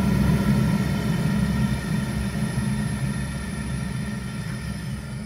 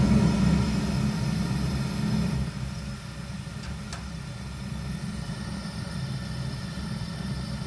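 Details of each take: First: Zhukovsky heating boiler, 1997, heard with the gas valve opened further, past the roughly quarter-to-half position where small noises appear. A steady, low, even roar with no pulsing, popping or rattle: normal burner operation. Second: Zhukovsky gas heating boiler made in 1997: steady low burner rumble with a light grunting, fluttering pulse showing unstable combustion with the gas tap about a quarter to half open; noise disappears when more gas is added.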